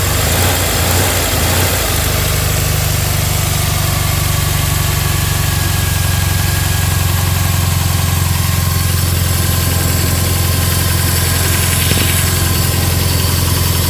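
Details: Subaru bug-eye WRX with 2.5L hybrid engine, 1000cc injectors, catless up/down pipes; loud, fast idle with lumpy, uneven pulse under a deep drone, sitting too high; high rough idle, cause unknown.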